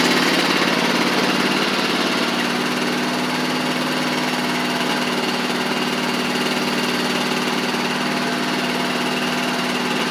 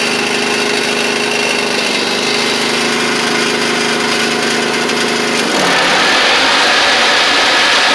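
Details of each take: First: Huskee Supreme riding mower after drive pulley and belt repair: small single-cylinder engine runs evenly with smooth drive, no slipping, grinding or clunking; drives as it should. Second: Huskee Supreme riding mower running with the deck engaged, spindles without grease fittings and guards now fitted: constant whirring from the deck that harshens with load; the left spindle bearing was later found to be the noisy one.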